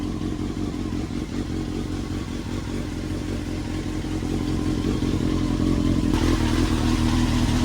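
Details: Honda CBR900RR Fireblade, 2002 (about 22 years old), four-cylinder motorcycle revived by basic cleaning after sitting for months: strong, even drone with deep beat and slight lumpy edge, no misses or rattles, exhaust sounds mean; normal running.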